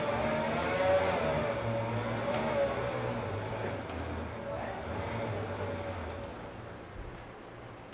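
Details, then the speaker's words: VH45DE cranking after a capful of oil was put in every cylinder; turns over on the starter at steady three to four beats a second but never catches; owner suspects the oil pump isn't primed. "I really think my oil pump isn't primed but the only way people say to prime it is to crank it so"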